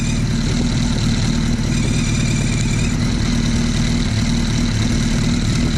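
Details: Suzuki Hayabusa Gen 1/2 after counterbalancer shaft adjusted about a quarter turn, centred between the F and G marks: steady, even idle with a smooth low beat, no rattle or whine on top. Normal idle.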